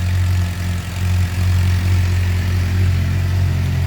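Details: 2007 Suzuki GSX-R 600 inline-four first start after water pump seal, freeze plug and electrical repairs for coolant in oil, gaskets reused: steady low, even idle with smooth pulse, no knocks or rattles. Normal idle; smoke thought to be old oil burning off.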